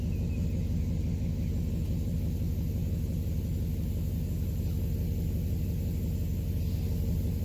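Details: 2011 Cadillac STS salvage car, first start after purchase, shifter unit unplugged: steady low rumble at an even idle with no knocks, ticks or misses; the engine runs smoothly.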